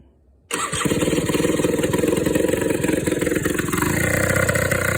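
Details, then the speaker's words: Suzuki LT80 two-stroke ATV after top-end rebuild with new cylinder and piston (previously not starting, low compression; now about 120 psi): fires at once after fuel turned on and settles into a crisp, even buzzing idle, running cleanly. "There we go. That would have turned the fuel on, wouldn't it? That's better sounding."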